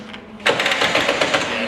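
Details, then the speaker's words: Race car engine that blew up at Donington Park, being cranked: sudden run of sharp metallic clicks from inside the engine; internal damage suspected, possibly a dropped valve seat or piston, not confirmed. "You can hear it clicking in there. >> Yeah. Is that a piston or something? Something I think the valve seat get off."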